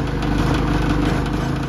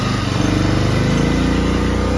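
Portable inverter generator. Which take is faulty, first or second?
first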